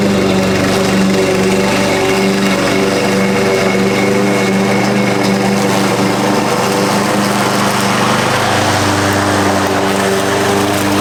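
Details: Husqvarna push mower that sat over 4 years, after carb cleaning and correct oil level (Rotella T6): high steady buzzing drone at constant speed, no misses or surging; runs well, owner suspects a loose blade or something rattling underneath.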